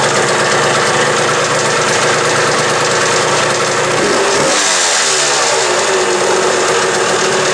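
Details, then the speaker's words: Old Suzuki two-stroke after fitting a new throttle cable and throttle: revs crisp and clean, dropping off smoothly after a blip, no rattles or misses; strong power band, normal running. "this a pretty nice little bike here this thing's got a pretty wicked uh Power Band in"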